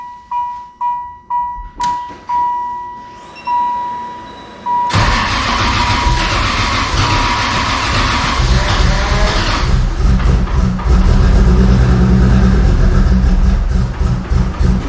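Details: Toyota 2JZ inline-six, warning chimes then cranks and catches but runs lumpy and stumbling, needing held throttle just to barely idle, black rich exhaust; misfire, not running on all 6 cylinders, from faulty ignition coils; earlier intake manifold found warped.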